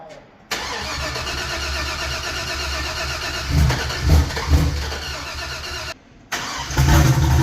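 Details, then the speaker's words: Big-cam turbo 6.0 L LS V8 on first start with a new HP Tuners tune: fires and settles into a lumpy idle with a clattery, diesel-like rattle over the rumble; source of the rattle not pinned down. "She sounds like a damn diesel. Can you hear it rattling?"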